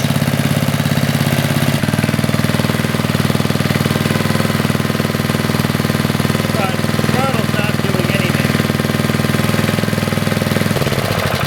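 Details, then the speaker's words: 40-year-old Briggs and Stratton single-cylinder on a garden tiller, cold, after a carburetor rebuild and started without starting fluid to test the fuel pump: it catches and settles into a steady, even putter with regular firing and no knocks; it runs healthy. "she runs pretty good now that was what did I do three pulls and then a fourth one started right up"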